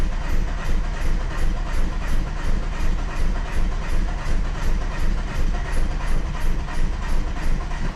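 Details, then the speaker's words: 1995 Plymouth Neon, low mileage, long stored, cold, brakes seized: steady starter grind near three beats a second with faint irregular puffs, never runs alone; one cylinder firing, owner suspects gummed-up injectors. "It's firing off one cylinder."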